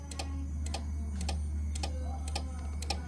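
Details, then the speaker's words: Old Jetmac III welder: sharp clicks about four a second, slightly uneven, over a low steady hum while the unit and its LCD keep cycling on and off, green light on; cause unknown. "Okey, aku rasakan dia bunyi tik tak tik tak tak tak tak tik tak tik tak tak tak tak tik. Okey, on. Okey, dia bunyi macam ni. Dia LCD dia on off."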